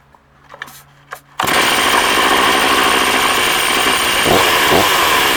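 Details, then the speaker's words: Older STIHL 036 Pro chainsaw with 20-inch bar and chain, well cared for; after a couple of pulls it catches and holds a strong, steady high rev with no misses or surging, a strong healthy saw. "Strong saw right here. Real strong saw. Got a lot of life left in it."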